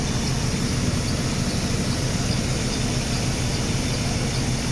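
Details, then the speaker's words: Mercedes W124 (M103) first start on jury-rigged non-original 1K spark plug wires, cylinder 1/4 leads swapped, running super rich: rough idle with a steady high squeal. Owner suspects a rusted pulley, unconfirmed. "I think one of my pulleys are rusted. Yeah, I think it's that one right."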